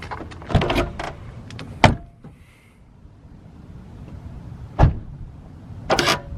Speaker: It was a little squeaky, as you heard, but let's see if it'll go back up. It was doing it last night. Yep, see? And I think it's this one, because this one sounds like real squeaky.